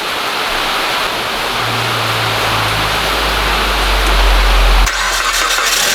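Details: 2013 Mitsubishi ASX 1.8 petrol, CVT, FWD, 448,000 km, just after replacing the knocking alternator pulley (MARSHALL MS-5170). Engine cold at a fast, even high idle with no ticking, whine or rattle; normal.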